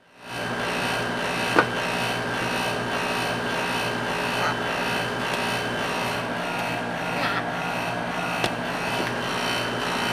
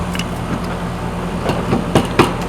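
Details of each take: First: Outdoor A/C unit: harsh steady rasping buzz from loose sheet metal casing panel rubbing at a corner; pushing on panel stops the noise; fixed by bending panel. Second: AC outdoor unit after fix: steady smooth low hum, no buzz or rattle; earlier buzz came from sheet metal rubbing in a corner, stopped by bending the panel with a screwdriver.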